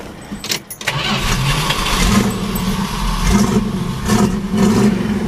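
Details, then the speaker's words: 1970 Dodge Challenger with a 340 V8 replacing the original 318, Edelbrock Performer intake, Edelbrock 4-barrel carburetor, side-exit T/A exhaust: a few cranking bursts, then it catches promptly and settles into a smooth, steady rumble without misfire. "Nice little sound to it. Nice smooth running little 340. Those are great motors too."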